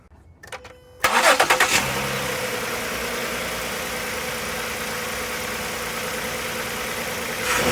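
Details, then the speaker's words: Ford Flex 3.5L V6 after replacing the cylinder 6 ignition coil for code P0306 misfire: catches quickly and settles into a smooth, even idle with no stumble; misfire gone, normal idle. "well just sitting here the mist is now gone i'll drive around the block to make sure it's good but i think we're repaired"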